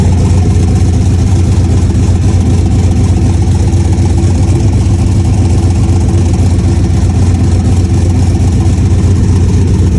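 Steady idle with a fast, fairly even puffing tick, about four a second, under a deep rumble; sounds like an exhaust leak, source unconfirmed.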